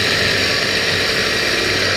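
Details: Half-horsepower Tullu water pump motor that would not lift water, after opening and repair: constant motor drone under a bright rush of water, no rattle or surging; primed and pushing well, with stronger flow than before.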